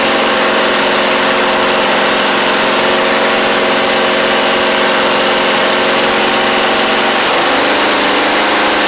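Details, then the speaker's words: Briggs V-twin on a Huskee Supreme 50-inch riding mower: loud, uneven, lumpy idle with a lopsided beat and pitch drop, running on one cylinder; carburetor issue suspected, plug to be checked. "this is a little crazy w all right so we're only running on one cylinder so so they got a carb issue we don't have a spark issue"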